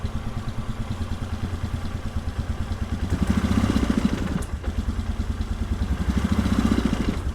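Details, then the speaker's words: 1997 Polaris Sportsman 500 single-cylinder, choke off, idle reset: thumps evenly at idle, swells briefly as the throttle cracks open, then sags and dies, stalling on throttle; restarts easily. "the exhaust like I said this thing sounds fantastic at idle but uh check out what happens when you try to even touch the throttle"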